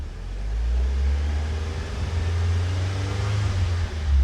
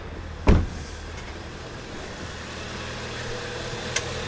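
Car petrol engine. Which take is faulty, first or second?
second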